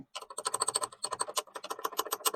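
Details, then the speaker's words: Honda Odyssey RB1 tailgate latch assembly rattle: rapid sharp metallic clicking, about eight a second, as latch knocks on U-shaped striker because the latch's nylon sleeve is missing; occurs on vibration at low gear when braking to stop. Fix: replace latch, tape striker, or adjust rubber stops. "就这个声音啊，然后在这里就发不出声音来啊，就这个声音了啊。故障原因已经确定了，就是咱们这个锁机总成里面的尼龙胶套没了。"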